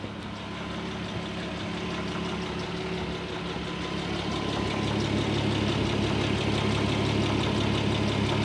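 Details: Audi A6 C4 2.6 V6 (ABC engine) at idle: a light, regular tapping about three per second rides over the steady hum; a strange engine knock of unknown origin.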